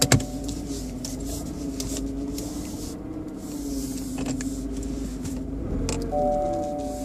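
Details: BMW 120i E87 engine: steady slightly wavering motor-like whine over engine noise while running, owner thinks from behind the air cleaner box; oil change didn't help; cause unknown.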